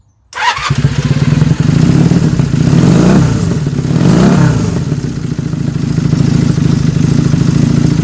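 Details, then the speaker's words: 1979 Honda Superdream twin after cosmetic facelift: catches quickly, blips twice, then settles into a smooth, even run with no knocks or misses; running quite nicely, healthy after start. "And it's running quite nicely."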